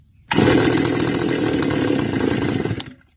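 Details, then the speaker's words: Stihl FS280 brush cutter two-stroke, spark confirmed, muffler modified, air filter clean, no air leak; engine catches and buzzes about two and a half seconds then cuts out abruptly, starts but won't stay running, cause not yet found. "So we have to take a look at what's causing the engine to not stay running."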